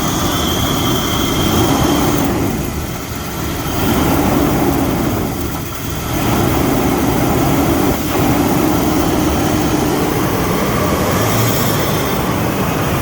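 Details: Ford EB Falcon manual six-cylinder after cleaning throttle body and idle actuator and changing leads, white smoke from carb cleaner: uneven idle sagging twice and recovering over a dozen seconds; rough idle persists, cause not confirmed.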